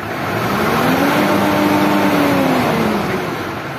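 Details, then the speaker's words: Old Mitsubishi Triton diesel with rough engine noise, white smoke and low power, manual transmission signal not read; free rev in neutral and in first gear flattens and holds at 3000 rpm. "Tapi kita lihat dulu rpm-nya mentok berapa 3000 y RPM mentok 3.000 berarti kita harus cari ini dulu"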